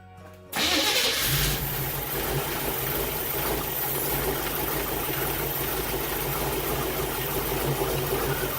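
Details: Jeep TJ with 350 small-block Chevy V8 after installing Edelbrock 1825 Thunder AVS carburetor and 2701 Performer intake; quick crank, clean catch, settles straight into steady even idle without stumbling; normal start and idle.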